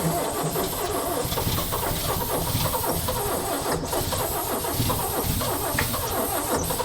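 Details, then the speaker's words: 1965 Chevy C-60 292 inline six, long-dormant, oil poured in cylinders to free rings: slow, uneven, labored cranking straining on each compression stroke without catching; low compression suspected, cause unclear. "She still got a little bit of that oil in them cylinders she's trying to compress."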